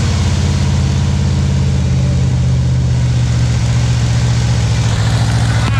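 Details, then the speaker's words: 1977 Pontiac Firebird V8 drag car revived after about 36 years sitting; idle screw adjusted down from high; deep steady burble with firm even beat, no misses or knocks; normal running. "wow man that thing sounds really damn good shoot that is incredible that is incredible everybody man that thing's got some power"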